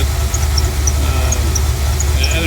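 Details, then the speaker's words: Ethyl at idle, new idler pulley, AutoZone belt: short high chirps about every third of a second over steady idle rumble, returning as engine warms up; serpentine belt chirp, cause unconfirmed, owner suspects belt brand. "yeah it's starting to come back in now that it's warming up so yeah so be it"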